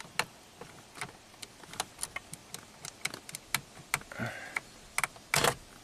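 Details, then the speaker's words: 1997 Ford F-150 4x4 with key off, battery and alternator already replaced: sharp, irregular clicking from the battery saver relay, which stays energized because the GEM is not sleeping. Parasitic draw is 170 mA with the relay in and 70 mA pulled. "we'll see if it clicks it is clicking so it is energized if we pull it our draw goes down to 70 milliamps"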